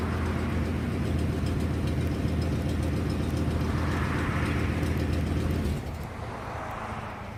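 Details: 1997 Ford F250 with 7.5L 460 V8, low steady drone with a light quick ticking about four per second on top, from an exhaust leak.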